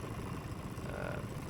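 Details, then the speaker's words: Honda GX390 390cc race kart during a race start: engine held at a high, strained scream with pitch barely climbing under full throttle while the kart barely moves; the clutch is slipping, losing positions. "so the mode I start here you can even hear the clutch slipping and it's just not moving which was bothering me quite a bit"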